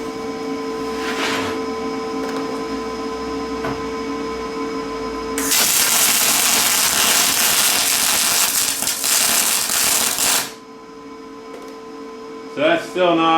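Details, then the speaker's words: Lincoln 210MP MIG welder, wire feed dropped to 340 in/min: about five seconds of harsh crackling arc sizzle with uneven popping; still short-circuit transfer, not spray. "yeah so that's still short circuiting"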